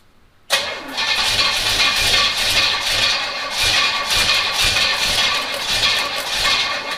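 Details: 1971 Pontiac GTO, first start in 5+ years with a brand-new fuel pump, new gas tank and empty half-inch fuel line, timing set roughly at zero: starter cranks on and on and never catches; slow to start.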